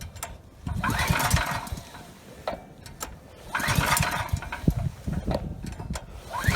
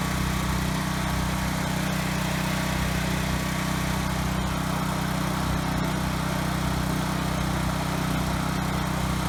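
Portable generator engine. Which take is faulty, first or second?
first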